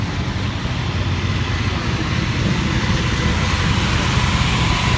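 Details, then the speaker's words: Carbureted RV onboard generator, 315 hours, push-button start: steady even drone with low rumble, no misses or knocks; runs perfectly. "And we will climb out to show you how it sounds. She runs perfect, 315 hours."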